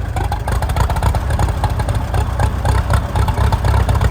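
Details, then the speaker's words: Farmall M tractor, gasoline, started after a slight flood on choke: lumpy low idle with stumbling beats about four a second and occasional skipped firing; one cylinder missing, possibly a fouled plug, and the miss then cleared. "There we go. It's idling. Missing a little, but might have a foul plug or something."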